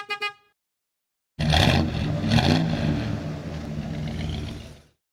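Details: Body-swapped 1948 International panel truck with a worn-out drivetrain, first start in 2 years. It runs, but with an uneven, lumpy note and irregular stumbles.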